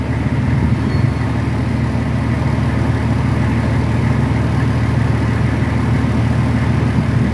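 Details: Nissan Patrol Y60, TD42 turbo diesel, first start after 9 months in storage on a nearly 3-year-old battery; starts first try and idles with even, steady diesel clatter and a deep low rumble, no misses or knocks: healthy idle.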